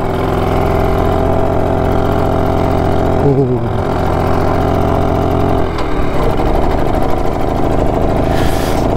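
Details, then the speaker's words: BSA D7 Bantam two-stroke restoration project with a new spark plug, on its first ride around the block: ragged, uneven exhaust beat that stutters as speed changes; rough running, and owner thinks the carburettor might need fettling. "it doesn't sound too clever, but it might need a little bit of fettling on the Dobry what's it thing we bump the carburetor."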